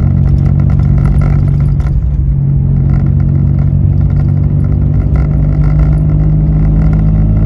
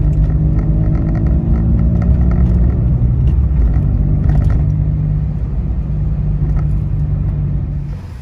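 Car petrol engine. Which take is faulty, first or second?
first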